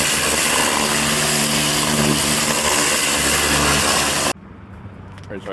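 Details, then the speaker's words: Craftsman LT1500 riding mower, blades engaged for the first time after deck cleaning and leveling: loud, harsh, continuous clattering roar while the blades spin, stopping abruptly at shutoff; blades believed bent and striking the deck. "just turned the blades on for the first time what a terrible noise that was I think I bought bent blades"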